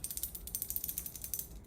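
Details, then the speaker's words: Bimetallic heat-break hot end with plated block on a Ratrig V-Minion kit printer, shaken by hand; quick light clattering of about a dozen clicks a second as a loose porcelain sleeve rattles inside, likely to clink at high accelerations. "the only thing that's a little Annoying about this hot end is uh there's a porcelain sleeve inside of here and you can hear it rattling around"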